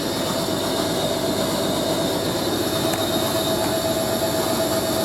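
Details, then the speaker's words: Hoover A3060 Electronic 1100 washing machine on Programme D Fast Coloureds 60°C, spinning a slightly unbalanced load: a steady thin whistle at constant pitch rides over the spin rush. Owner suspects a dry motor bearing needing oiling. "it sounds like the motor bearing is going to need oiling up."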